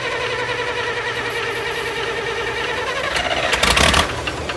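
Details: International 656 tractor that had been sitting, jump pack dropping to 9 volts: the starter churns steadily, then a brief rough burst near the end that never catches. The carburetor float was found stuck, then stuck in the opposite position.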